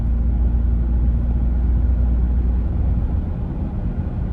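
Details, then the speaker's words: New Toyota Tacoma driving over a moderately rough road, cabin microphone: only low even tyre rumble, no dash rattles or squeaks. "So I'm not making this up. You guys can hear for yourself, right? There were no rattly, weird sounds."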